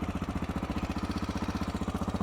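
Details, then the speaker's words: Honda XR600R single-cylinder kick-started from cold on choke with decompressor: quick, even thump at steady pitch, firm regular beat, no misses or knocks; cold engine idling cleanly on choke. "On a cold engine, use some choke, open up the gas of course, find the compression stroke, which is where when it's very heavy, pull the decompression, push it a little bit through, all the way up, press it against compression and"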